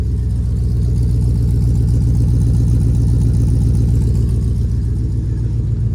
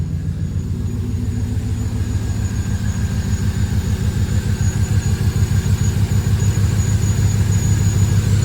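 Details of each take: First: Stock LQ9 V8 from a 2002 Escalade, no catalytic converters, MagnaFlow dual exhaust, first run after fixing a no-start: deep loud even burble at steady idle, no misses or knocks, whistle from a vacuum leak at the fuel pressure regulator hose. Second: Bone-stock LQ9 V8, no catalytic converters, Magnaflow two-in two-out exhaust, idling loud but smooth after finally running; thin steady whistle from a leaking rubber vacuum hose to the fuel pressure regulator, needing replacement.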